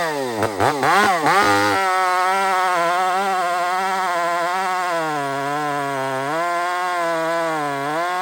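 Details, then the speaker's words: Chainsaw on a hazard-tree removal: a high buzzing note dips and recovers as the saw bites into the wood, its RPM bogging a little under load, possibly from running rich. "friends listen very carefully to the RPM change here in a minute just listen"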